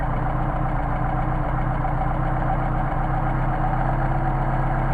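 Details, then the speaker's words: Mercedes 190SL with machined Solex carburetors, tested at 29°F: idle mixture screw backed to the best running midpoint, giving a low, even, steady idle with no stumbling or hunting. "how much nicer it's running?"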